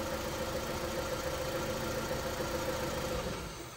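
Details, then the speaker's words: Honda Civic 1.7 (2001–2006), no check-engine light, idles quietly with an uneven, stumbling beat and dropped pulses; one cylinder misfiring from a failed ignition coil, confirmed by swapping coils. "então galera nós podemos ver que o problema é bovino é porque a bobina esse aqui tava com defeito né"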